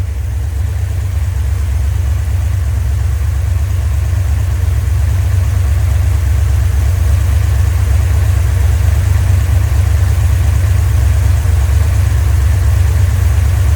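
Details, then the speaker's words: Rebuilt 1990 Mopar 318 V8 from a D150 truck (Comp special-grind cam, Air Gap Magnum intake), vacuum advance on manifold vacuum, about 29° at idle, 33° total, idle vacuum low, rpm up 100; deep, even rumble at steady idle, no knocks or misses, running smoothly. "It's on about 29 idling. Whenever I hit the throttle, it seems to respond fine. And I've got it on 33 total still. I think it's happy."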